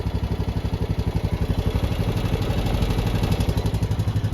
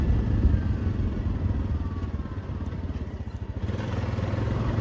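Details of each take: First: Honda Rubicon 520 DCT ATV, 2,240 miles, 292 hours, run hard with much rev limiter and road use, valves never adjusted: steady idle with light even ticking about four a second that comes and goes; owner assumes valve tap, before adjustment. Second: 2021 Honda Rubicon 520 DCT (TRX520FA6) ATV after a valve adjustment: single thumps along evenly, then revs up and holds a smooth, steady drone with no top-end ticking; normal, healthy running.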